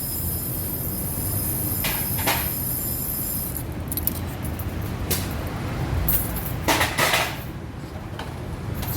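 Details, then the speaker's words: 2010 Toyota Altis CVT gearbox, loud when driving: heavy droning rumble with a thin high whine and scattered clunks. Broken CVT belt rubbing on the pulleys; the bearing is not broken. "ก็สายพานCVTที่ขาดก็เคยฮอนมาแล้วก็สายพานมาสีกับพวกมู่ลี่เนี่ยมันก็จะเกิดเสียงนี้ละเสียงคล้ายๆอย่างงี้แล้ว"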